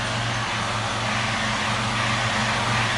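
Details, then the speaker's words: 2001 Mustang V6, engine running, clutch pedal pushed in and out: a rough whirring rises and falls with each press. The throwout bearing has failed, audible even from outside the car. "So I've gone ahead and moved the car into my little bay, and you might be able to hear the problem I'm having when I push down. That's the throwout bearing. You actually hear it pretty well outside the car too."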